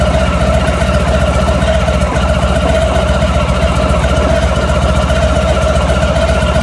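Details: Honda ST1100 motorcycle at idle: a fast, fairly regular metallic rattle at about four per second over a steady idle. It is an internal engine rattle of unknown cause.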